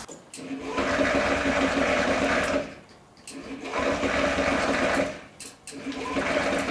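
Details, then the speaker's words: Honda Ruckus scooter on a borrowed battery: three long whirring cranking bursts before it fires, then a rough, very low idle like an old tractor; dies when given gas, owner suspects a dirty carburetor. "It's running. Not the greatest. It sounds terrible. It sounds like an old tractor. Did they set their idle at 150 RPM?"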